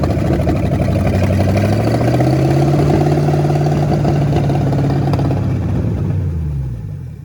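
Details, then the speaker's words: 1973 Ford Mustang Mach 1 fastback, started after decades in a junkyard: deep V8 settles into a high, slightly uneven idle then shuts off; idle too fast, running better each start; carb leak suspected internal. "But I mean, it's running better and better. Mm-hmm. It's getting better every time you start. It is. It does. It's It just starts idling a so little fast high. too."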